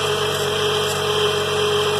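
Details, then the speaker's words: 2003 GMC Envoy 4.2 V6 after replacing a bad coil pack and all spark plugs: steady, even idle with a smooth hum, no stumbles. Misfire fixed, good power. "sounds good no more miss we got good power"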